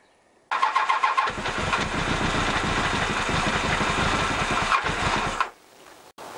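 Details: Honda CBR1000F salvaged from a landfill, previously running on only three cylinders: a brief crank, then it catches and idles smoothly and evenly on all four cylinders for about four seconds before shutting off; a small oil leak remains. Normal idle.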